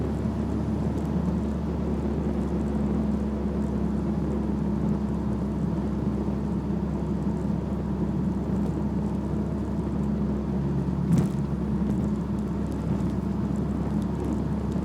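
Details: BMW E46 while driving: steady low drone in the cabin, a hum pointing to the driveshaft (propeller shaft); cause suspected, not confirmed.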